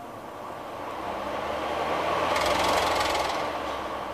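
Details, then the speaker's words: ARGE MAX50C 50 cm 160 W pedestal fan after replacing the bad capacitor with a new one: the motor spins up quickly and smoothly to full speed, faster than with the bad capacitor. "Vocês viram a grande diferença? A aceleração até de acionamento é até mais rápida do que do capacitor ruim, entendeu?"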